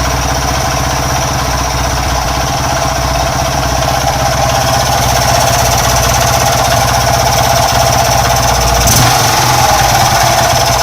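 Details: Honda Wave 110 cc motorcycle engine running with a harsh, clattery rough note, needing overhaul; worn cylinder/piston and rough crankshaft, bearing also suspected.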